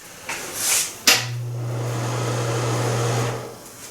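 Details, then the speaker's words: Broan NuTone bathroom exhaust fan, about 20 years old and formerly noisy, after its motor was replaced: it starts with a clack, hums steadily and quietly with a soft air rush, then winds down. Normal quiet running. "that sounds a lot better."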